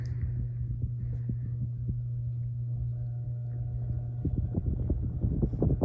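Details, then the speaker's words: NuTone Verandah Deluxe ceiling fan after rewiring and bearing oiling, at highest speed: steady low motor hum with soft irregular throbbing thumps; fan vibrates slightly, causing the noise. "It does vibrate a little bit. That's why it made that noise."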